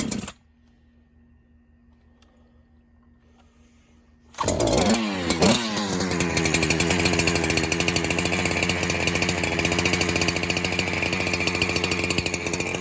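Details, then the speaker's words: 372 clone chainsaw that leaned out whenever fuel was added, suspected air leak, mixture screw set about 3 1/4 turns out, cold start on choke: quiet, then it fires and settles into a fast, slightly burbly, uneven idle, running rich while still cold. "So it looks like it's running a little fat right now, but that's just because it's a cold start."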